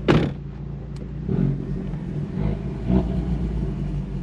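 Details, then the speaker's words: 2020 Ford Mustang EcoBoost HPP, A10, built 2.0 with Ford Performance camshafts and 12 psi wastegate, tuned to lock cams in overlap: heavy lumpy loping idle with hard cam overlap chop, whole car shaking; cams parked in one position only. "holy crap that is true cam overlap chop who says EOS can't shop they sure can that thing sounds gnarly look the whole damn car shaking man"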